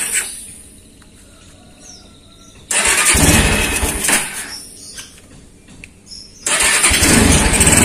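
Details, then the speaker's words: Honda Tiger motorcycle started after carburetor repair: dirt-clogged float bowl caused fuel dripping, flooding and petrol smell when parked; cleaned and fixed. Engine catches promptly, runs, eases off, then picks up strongly with no stumbling; healthy start and run. "udah sembuh nggak netes kembali Coba nah oke langsung kita tes dulu kita Nyalakan sepeda motornya"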